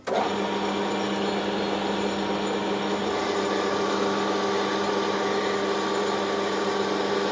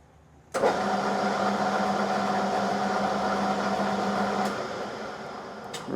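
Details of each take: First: Lathe at 300 rpm turning 4140 steel shaft for Aveling & Porter steam roller, 2 mm depth of cut, steady rest: cutting hum with ringing chatter near end of cut when feed slows or stops. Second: Lathe turning 4140 steel shaft for steam roller, steady rest fingers adjusted and oiled, spindle at 300 rpm: constant even hum with no knocks or grinding; normal running.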